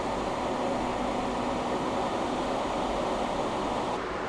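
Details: HP EVA6000 disk storage rack with four full disk shelves at power-on: loud, even rushing roar of many cooling fans at full speed, no rattles or scrapes; normal.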